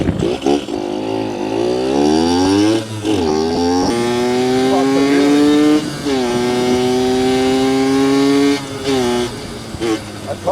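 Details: Yamaha YSR50 two-stroke on its first test ride after new crank seals and a full engine reseal fixed an air leak, with a new S23 clutch: crisp revs climb cleanly through each gear and drop on shifts, no misfire or bog. Healthy running.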